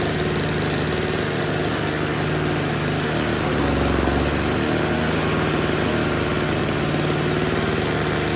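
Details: Old Snapper two-stroke snow blower, first start after storage with fresh oil-gas mix, before repair; even, steady idle with a regular low thrum and no misses or knocks, though it's dumping gas from a leak: normal engine running.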